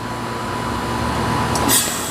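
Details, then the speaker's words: Older Bryant heat pump in heat mode going into defrost, steady fan and compressor hum then a brief hissing whoosh as it blows out a lot of steam from the condenser; normal defrost cycle. "Oh, there it goes. Whoa, it just blew out a lot of steam. There it goes. Older Bryant heat pump defrosting."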